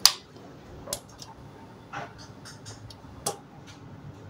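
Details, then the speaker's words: Microtek inverter on repair bench, changeover relay switching as mains is cut off; crisp sharp clicks at irregular intervals, relay holding and output fine. If it switches on then back off, one or two drops of oil fix it. Normal relay changeover click. "ये देखो ये relay की आवाज़ आ रही है ना, ये वाली।"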